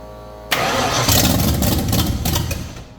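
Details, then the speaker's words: 1989 Ford Fox Body with carburetor, choke propped open, about tenth start attempt at roughly 6 psi fuel pressure: starter churns fast and steady without catching; front float bowl found empty of fuel. Cranks but won't start, fuel starvation. "all right uh just made a little Discovery front Bowl did not have any fuel in it"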